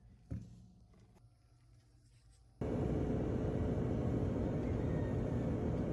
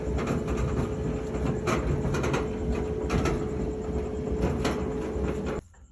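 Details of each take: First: Whirlpool dryer after replacing drum and drum support rollers for loud rattling thumping: brief thump at start, then steady even low hum with no thumping or rattling; drum running smoothly and quietly. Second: Whirlpool dryer: heavy constant rumble with uneven thumps and rattles, likely from worn drum support rollers; the drum is also badly damaged and probably unusable.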